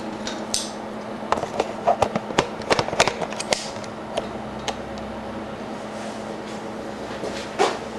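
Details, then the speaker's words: Exhaust fan on a cold-water rinse tank, running with its mounting not yet tightened down: steady low fan hum with irregular light clanks and rattles from the loose housing. "so I have the fan running right now you can hear it's a little noisy um but it's just because I don't have everything tightened down"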